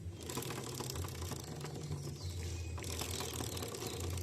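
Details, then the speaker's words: Carbureted Shineray SHI 175 motorcycle: rapid dry clattering rattle over the engine like a ratchet, a worn drive chain (counterfeit chain wears fast), not the engine; louder with more speed and load; fix is replacing the chain. "E quanto maior a velocidade e quanto mais peso tiver, mais barulho ela vai fazer. como se tivesse quebrando algo dentro do motor, porém apenas a corrente, certo?"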